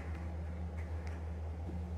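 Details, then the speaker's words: Walk-in freezer at -19°C in manual defrost: compressor, evaporator fan (depending on setting) and refrigeration cycle stopped while the heater melts coil ice. Faint scattered tik tik ticks over a low hum. Normal ice ticking during defrost. "During the the defrost mode compressor evaporator fan( fan depend on setting) or Refrigeration cycle gets stopped maybe you can hear tik tik sound"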